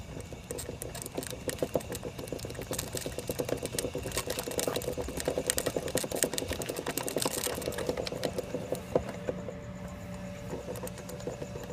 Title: Clicking noise front sprocket k7 gsxr 1000